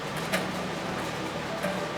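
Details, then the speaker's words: 1939/1940 General Electric KL-50 AM tube table radio: rough, buzzy output with a raspy edge; the speaker's voice coil has likely come loose because its glue has deteriorated. "the glue has deteriorated in the the voice coil is loosed and you can hear it"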